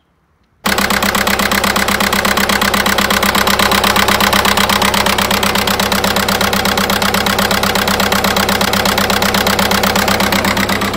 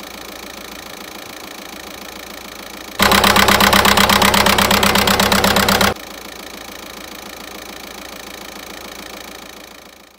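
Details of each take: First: 1.9 TDI 105 hp diesel at idle, before repair: uneven, lumpy chuff about twice a second, running on three cylinders; injector 3 makes poor contact through a worn connector. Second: VW 1.9 TDI 105 hp diesel after replacing the injector wiring harness: even, steady idle clatter with a regular beat and one louder stretch midway, running on all four cylinders again.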